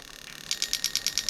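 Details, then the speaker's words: Toyota Soarer/SC400 1991-94 V8 on a bench test of a new automatic gearbox harness; injector 4 ticks crisply and evenly about nine times a second with no misses, firing normally. "Can you hear that clicking away? Okay, so we're happy. All the injectors are working as they should."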